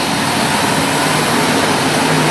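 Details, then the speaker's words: 2007 Chrysler Town & Country with code P0480, engine running with AC on, after repair: steady whooshing roar of the radiator cooling fans, constant and even; fans running properly, cooling fan relay fault fixed. "Take it fired up. AC's on. Technically should have fans. Oh, I deserve. Oh yeah, fans are spinning. That's it. That's an easy fix."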